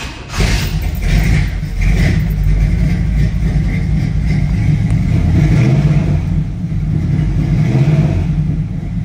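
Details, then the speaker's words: 1967 Chevrolet Camaro RS, carbureted V8 with Magnaflow mufflers, cold start after a couple of pedal pumps: catches and settles into a lumpy, deep, steady idle with throaty exhaust; tachometer and oil pressure normal. "that sounds wonderful. You can see the tachometer working just as it should."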